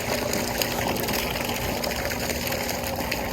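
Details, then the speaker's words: Old above-ground pool pump converted to pond pump, after priming: constant motor drone under a strong steady gush of water, no surging; pump primed and working normally. "Oh, there we go. Holy crap, that works better than I expected it to."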